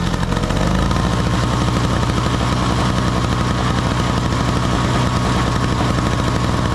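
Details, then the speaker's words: Small two-stroke snow blower (50:1 mix), choke on, after cleaning the clogged jet at the carburetor bottom that had stopped fuel flow (it ran only on starting fluid before): steady, even buzzy drone, engine running smoothly. "we got it working baby oh all it was was that little uh jet down in the bottom uh very easy to clean out"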